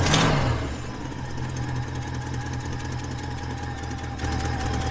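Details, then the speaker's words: 1968 Ford Ranchero V8 (thought 289 or 302), long off the road, on a chilly fall morning; after several slow cranking tries it catches with a bark, then idles with loose, irregular chuffing from a badly leaking exhaust donut gasket; cold-blooded. "It has it's like the exhaust donut's leaking pretty bad. She's a little cold-blooded. But it started."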